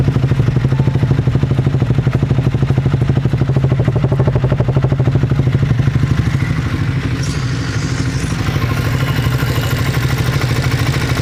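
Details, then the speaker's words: Triumph Speed 400 single-cylinder at idle after just over 5000 km, following January 2024 ECU update for stalling; steady idle with an even light tapping about three per second, louder than before; owner unsure of cause; engine tapping noise. "But 5000 किमी चलने के बाद मैं आपको बताऊ तो थोड़े से इंजन में भी आवाज बढ़ गई है किसी चीज की है वो पता नहीं बट अंदर से जो पहले आवाज आती थी उससे कहीं ज्यादा आवाज आ रही है इसके अंदर थोड़ी सी अब वो टपट की नॉयज है"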